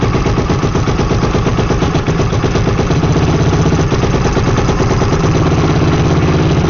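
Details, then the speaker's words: Freshly rebuilt Yamaha YFZ450R single-cylinder engine just after first start, kept on choke, warming up until the fan kicks on: steady, even idle with quick regular beat, no clatter or misfire; healthy warm-up idle. "so we're just going to let it run and heat up until the fan kicks on and then we'll shut it down"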